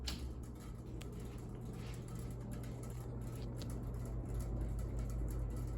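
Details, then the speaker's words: Unknown 48–52 in ceiling fan at full speed: steady low hum with faint uneven crackling ticks two or three per second; blades crackle because they are not tight. "Despite all the noise, this thing actually moves some good air."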